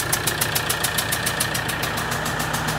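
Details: Mitsubishi 4P10 diesel after re-cutting the number 2 injector seat: steady idle with even clatter and smooth rhythm, no misfire or stumble; no-start was caused by loose fuel clamps, now tightened, runs normally.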